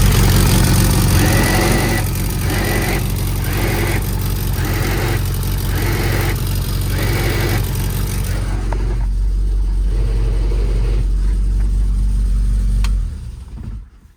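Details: Lotus Elan after fourth clutch job: engine runs with harsh, graunchy pulsing about four times a second when the clutch is disengaged, stopping as the pedal changes; cause unknown, engine coming back out.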